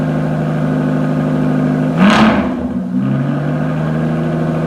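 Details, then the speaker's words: 2015 Aston Martin Rapide pre-purchase inspection, initial start (only about the third start, briefly run before), idling then revved to about 1,500 and 2,000 rpm: steady even idle, clean blip returning smoothly, no knocks or squeals; healthy. "So on the initial startup, I had it idling. I still need to check the video to see if it smoked or not. And then the revs that I took it up to was about 1,500 and then 2,000."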